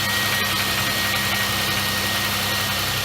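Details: 2004 Chevrolet Impala 3400 V6 on jack stands after fuel pump, fuel filter and fuel pressure regulator replacement: steady even idle with faint high whir, no stumbles or knocks; no leaks at regulator.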